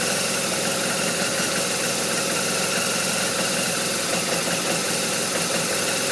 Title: RT1200RT Rough Idle